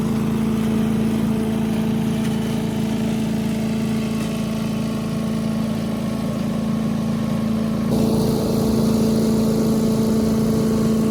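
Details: 1984 MTD Air Sweeper (model 245-692-000), 36 years old, flathead Briggs & Stratton 5 hp (engine model 130212-1731-01): steady, even single-cylinder hum at constant speed, no knocks or misses; running smoothly and healthy.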